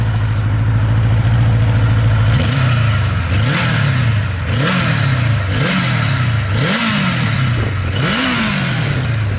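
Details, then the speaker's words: Healthy four-cylinder of a 35-year-old 1982 Kawasaki KZ1000K2 LTD, fully gone through, exhaust done up like factory, tires under 3 miles: crisp, even revs rising and falling cleanly from a smooth idle, no knocks or rattles. "This thing pulls like a freaking freight train. It's got a lot of torque."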